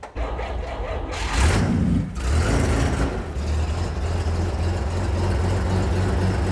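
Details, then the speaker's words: Dodge army truck with six-cylinder engine, six-wheel drive, at a museum: brief crank, then catches and settles into a deep, steady low rumble with a good, even exhaust beat; healthy start and idle. "oh that's a good exhaust now"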